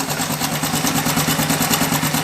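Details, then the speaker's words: Honda Biz 110i 2020 motorcycle at idle: fast, even metallic clatter on top of idle; cam chain noise from a fully extended, defective cam chain tensioner. "pela experiência parece ser o tensor da corrente defeituoso causando a corrente fazer esse barulho mas também pode ser algo aqui ó na parte da embreagem"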